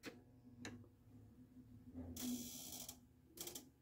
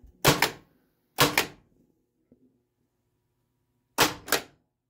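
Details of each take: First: Harlem Globetrotters pinball machine with an Altec test board: a faint steady buzz under mechanical clacks and the flipper never strokes; an end-of-stroke switch with only one wire suggests the flipper wiring is wrong. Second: Pinball machine (Harlem Globetrotters) flippers after rewiring, tested with an Altec test board in game mode: crisp double clacks, each flip snapping up and back cleanly with a solid thunk and no buzz; flippers working properly.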